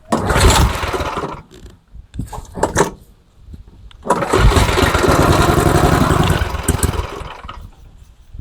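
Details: MTD Snowflight 2-stage snowblower, Tecumseh 8hp Snow-King engine, old fuel: small single coughs and sputters after brake-cleaner spray in the carb, catches about three seconds then dies; runs only on the spray, not getting its own fuel.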